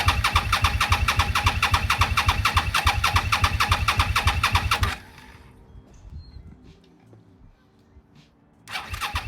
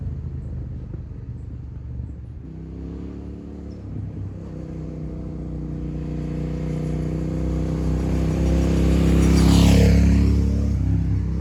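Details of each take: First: 2002 Suzuki SV650 sat about 2 years in a garage, first start after revival: fast steady exhaust beat well above normal idle, then stops and restarts; idling really high, owner unsure whether it has a choke. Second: 2002 Suzuki SV650, abandoned about two years in a parking garage and revived after battery troubleshooting, on its first test ride: even, deep rumble climbing smoothly through the revs as it pulls away, with wind hiss. Engine sounds healthy.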